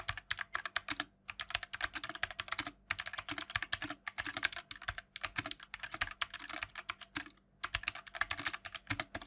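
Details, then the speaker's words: BlitzWolf BW-KB0 60% hotswap wireless mechanical keyboard, typing test. Bursts of clacky typing with a loose, hollow rattle on the longer keys; the stabilizers rattle a lot and sound bad. "That's because during the typing sound test, you can actually hear that the stabilizers do rattle a lot and they sound pretty bad."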